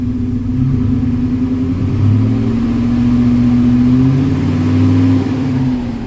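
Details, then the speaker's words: 1971 Rover 3500S P6 V8 after installing a new Lucas 11AC alternator, replacing one whose pulley bearing seized; smooth, even hum rising and settling with throttle, belt flapping slightly but no squeal, whine or rattle; pulley working well. "You see that kind of flaps around, but no noise or anything. Everything sounds good. The pulley is working very well."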